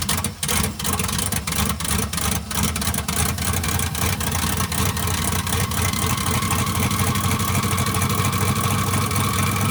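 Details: 1967 Chevy C50 with turbo LS V8, 7875 turbo, Holley Terminator X Stealth EFI, first start. Loud, choppy, lumpy cam idle pulsing about three times a second with faint turbo spool whistle. Healthy big-cam turbo V8 idle.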